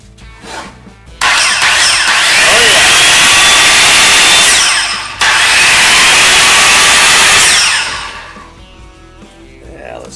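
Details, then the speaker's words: DeWalt circular saw after repair: two runs of a clean, high motor whine that spins up, holds even and coasts down smoothly, quieter than expected; normal running. "what sounds like without it now dad it's not as loud as I thought it would be now for the big test"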